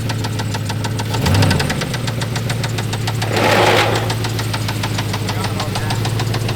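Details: Petrol engine known to be knocking, getting a Marvel Mystery Oil treatment: fast, steady metallic knock roughly six or seven a second; rod knock suspected, not confirmed.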